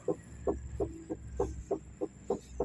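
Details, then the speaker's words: Perodua-type car (Myvi/Alza/Viva/Kancil/Kelisa) knocking over uneven roads; wheel rocked side to side by hand gives sharp hollow knocks about three per second with free play, traced to the rack end (tie rod end); worn rack end. "Dan apabila cecek dekat bagian tayar nih, saya godek-godek kiri kanan, dia ada preplay dan juga bunyi ketukan lah yang saya dengar."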